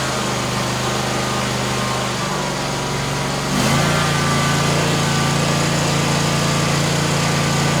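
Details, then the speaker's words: Kawasaki FX691V engine on Gravely Pro-Turn 148 XDZ mower, previously running only on choke and backfiring, after carburetor replacement; even idle stepping up to higher speed and holding steady with no stumbling, surging or popping: normal running. "that I tell you what that Amazon is making this sucker perr"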